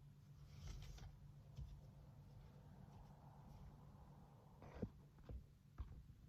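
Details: GMC Acadia/Chevy Traverse with a newly replaced power steering high-pressure hose, during bleeding with the wheel turned slowly: a quiet, even idle hum with a couple of light clicks, no pump whine, and no bubbles; normal power steering operation.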